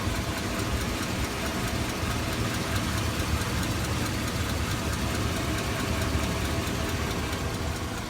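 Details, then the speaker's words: 2002 Chevy Avalanche 5.3L V8, warm: constant fast ticking at idle from left side, louder lately, check engine light on, no misfire; owner suspects cracked exhaust manifold, possibly valve rollers, unconfirmed. "to me that sounds like a manifold it's cracked but but the light won't go off now and it's ticking all the time when you start up too just on the left side"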